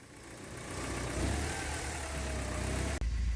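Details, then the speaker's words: 1983 Porsche 944, cold and not up to temperature, just started after a couple of tries: low uneven idle swelling and sagging, still surging. "That took a couple times, but it's going. Okay, so it's still surgy."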